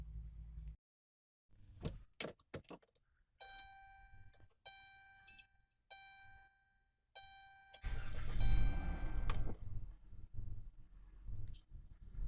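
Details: 2011 Dodge Grand Caravan with no stored fault codes: several short cranking bursts broken by silences, then a rough catch that won't hold. Hard starting and stalling; suspected TIPM, crank sensor, throttle position sensor or fuel, not confirmed.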